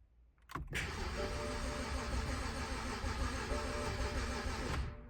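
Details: 2010 BMW 328xi Touring manual, stored for a year: starter spins evenly for about four seconds with a dash chime over it but never fires; crank no start, owner suspects bad fuel.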